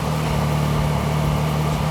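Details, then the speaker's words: Triumph Daytona 675R with a new battery that previously only clicked: short burst of steady, even idle, smooth low hum, no misses or knocks. Charging system reads 14.35 V, fine. Battery likely never fully charged, only trickle-charged. "fires right up i don't see anything wrong there"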